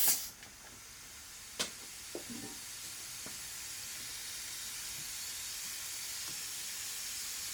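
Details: Turbocharged car intake pressurised with a homemade boost leak tester, engine off: faint, steady airy hiss at a coupler on the intake piping; small boost leak found, causing breakup under boost.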